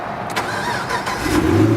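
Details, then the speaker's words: 2014 Chevrolet Camaro SS, 6.2-liter V8, 44,000 miles, rebuilt after damage, stock exhaust: short starter whirr, engine catches at once and flares up cleanly to a steady V8 rumble; healthy start. "she's got the stock exhaust so nothing super super exciting that weighs far as its not being super loud it sounds good when you keep going down the road"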